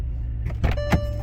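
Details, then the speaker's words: Salvage 2006 Bentley Flying Spur, sitting stationary, first start on a weak, cold-day crank: engine catches and settles into a low, steady hum with a few light clicks; smooth, even idle, runs well. "is purring right along."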